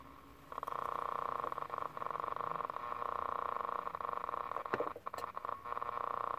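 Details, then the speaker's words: 1967 GE transistor clock radio tuned across the AM band: a buzzy tone that keeps dropping out and crackling, with the second half of the band dead. Cause unknown; a dirty control and some smoke are noted. "ah sure I the second half of the band is dead I'm also not sure why it's doing that"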